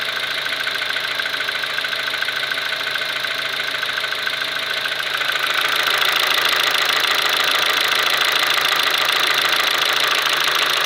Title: Стучит двигатель KIA Ceed g4fg